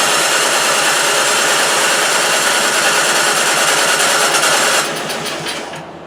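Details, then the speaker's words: Toro 3521 two-stroke snow blower at about 3/4 throttle with a little choke after priming: loud uneven lumpy buzz near three beats per second, fading down; running rough after start. "All right, here we go. That doesn't sound good at all."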